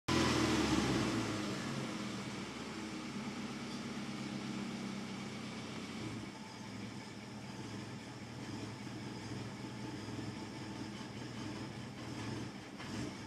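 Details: 2002 Subaru Impreza 2.5RS warm idle: uneven, loping beat dipping as if about to stall; drives fine cold but after warm-up hesitates in any gear or rpm; rough idle after warm-up, cause unknown.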